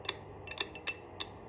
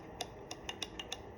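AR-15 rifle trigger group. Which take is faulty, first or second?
first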